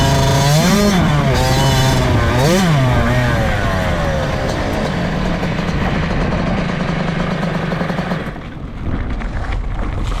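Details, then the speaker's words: 2003 Kawasaki KX60 two-stroke: revs flare sharply while the bike barely pulls, then steady drone; clutch still adjusted too tight and slipping. "all right so the clutch is still adjusted a bit much you can hear it's slipping out of gear"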